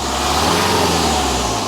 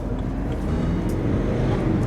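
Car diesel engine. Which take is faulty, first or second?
second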